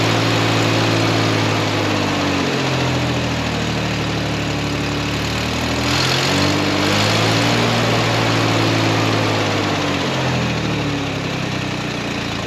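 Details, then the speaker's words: Vehicle being prepped for auction, idling: a steady, even low rumble with no knocks or stumbles. The carburetor is still not right, a vacuum leak is suspected, there's an exhaust leak on one side, and oil or brake fluid residue is burning off the manifolds. "way happier than what she was before but that carburetor is still funky burning off some oil residue off it manifolds"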